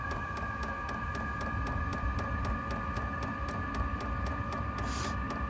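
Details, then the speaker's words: New VEVOR 8 kW diesel heater on a Jackery 240, startup draw about 123-152 W, no exhaust muffler fitted: steady fan hum with even fuel-pump ticks about four a second; burner has lit and runs normally. "123. 152 watts. Okay, sounds like it's lit."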